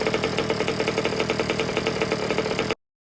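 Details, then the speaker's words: New two-stroke engine fitted to an old Baja, during break-in heat cycles with the idle wound up slightly: a crisp, even popping idle held a little fast, steady rhythm, no misses or stumbles; the engine is running healthy. "So we're going to run with this. Sounds really nice and crisp. I've actually got the idle just wound a tiny bit up while I give it another heat cycle through here."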